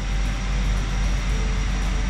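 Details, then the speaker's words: 2011 Ford F450 diesel after replacing an injector for code P1266 injector short/misfire, and programming it; smooth, even idle with a low drone and no stumble. Runs like a dream, fault fixed. "Fire this thing up here and see how it runs. Oh, runs like a dream. Look at that. Perfect."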